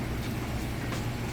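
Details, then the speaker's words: LG electric dryer on time dry, high heat, 40 minutes, warming up during the first couple of minutes: even, steady drum rumble with a low hum, no knocks, squeals or scraping; smooth, quiet, normal operation. "Very smooth, very quiet operation. So we'll give it just a minute."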